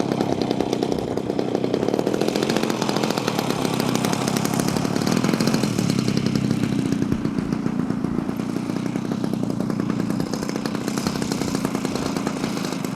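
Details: Small two-stroke engine, from an archive clip after repair, buzzes at steady high revs, firing quick and even without stumbles or misses; it runs properly.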